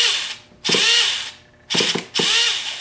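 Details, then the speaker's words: Rebuilt T-Maxx .15 nitro engine, tank pressurized to prime fuel: two short high buzzing electric starter whirrs, not firing; owner suspects the weak one-way bearing, but the real cause was a missing copper gasket and loose glow plug. "Well, it doesn't look like it's going to start. Looks like I'm going to have to clean that one way bearing out."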